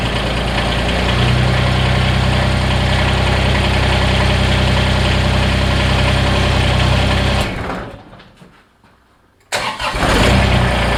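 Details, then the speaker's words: Kubota BX diesel tractor after a remote fuel filter install and bleeding, with some air possibly left in the injector pump. A steady, even low chug at idle that drops away briefly, then picks back up smoothly. Normal diesel idle, warming up. "i don't think all of you have any idea how happy that sound of a smooth riddling tractor is is making me right now"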